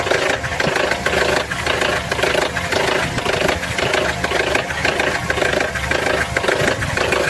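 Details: Petrol engine running: uneven bubbling, gurgling sound around two beats a second, seeming to come from low in the engine rather than the top. Suspected air-fuel mixture or ignition problem; cause unconfirmed.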